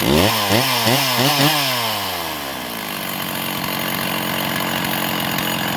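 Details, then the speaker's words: Stihl MS660 chainsaw with a big bore kit, test run after repairs with issues still being diagnosed; revs rise and sag several times before climbing to a raspy high run; hesitation on acceleration, seemingly running rich. "Sounds like it's spooling up on fuel a little bit still."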